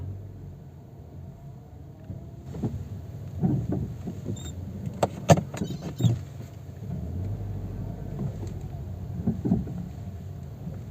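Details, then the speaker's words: Renault Clio driven slowly over a drain cover and bumps: low rumble broken by sharp clunks and knocks from the front left suspension, caused by a leaking, worn shock absorber with play. "Well, today we have this Ren Clio here with a noise that is already a bit scary. Look at the noise it is going to make just by hitting that sewer."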